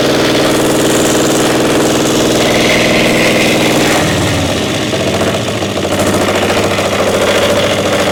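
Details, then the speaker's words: Caterpillar Diesel 70 pony starting motor. Loud, lumpy, uneven firing about three beats a second that stumbles and changes after four seconds; it is running on one cylinder, cause not confirmed. Misfire, running on one cylinder. "So what's the status? Running on one cylinder. We got one cylinder not Hitting working."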